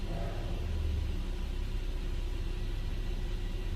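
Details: Infiniti G37/G35/Q40 after spark plug replacement, given a brief rev during the idle relearn. It returns to a smooth, steady idle with a deep, even rumble and sounds healthy.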